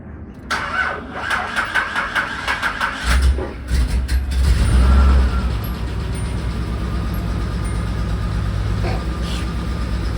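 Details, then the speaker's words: 1985 Nissan 300ZX (Z31) after new catalytic converter gaskets fixed the exhaust leak and the cat was gutted: cranks briefly, catches and settles into a smooth, even, very quiet idle with no ticking, puffing or smoke; normal start and idle. "it's really quiet it's really quiet really quiet yeah"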